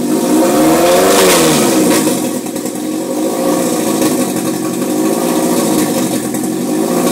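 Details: 2002 Type S with only an Injen cold air intake, hard to start after sitting a few hours following a 10-mile drive: uneven revving with a wavering, surging pitch and a rough note; the same noise persists with the intake disconnected at the engine; cause unknown.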